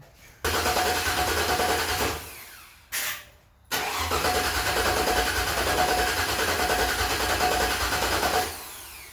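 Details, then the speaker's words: LS V8 swapped into a Datsun 620, on a makeshift jump-box battery and rewired harness. Starter cranks steadily, about three turns a second, twice with no catch or firing; crank-no-start because there is no spark. "Alright, grab some of that brake cleaner and shoot. I'm not getting spark. Okay, no spark."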